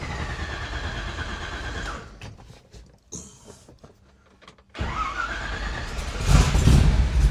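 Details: 1957 Chevy wagon with a 454 big block V8, started after a new cap and rotor and a vacuum canister adjustment during ignition timing work (total timing about 36). Brief crank, catches cleanly and settles to an even idle with no misfire: a normal start.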